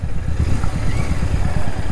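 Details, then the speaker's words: Royal Enfield Hunter 350 while riding, after off-roading through mud and no chain cleaning: fast, uneven low clatter under the bike, present with clutch fully pulled; rider suspects the chain, unconfirmed, plans to lube it and have the showroom check. "क्या लगता है chain की आवाज है ठीक है और जब पूरा क्लच दबा रहे हैं तब आवाज आ रही है"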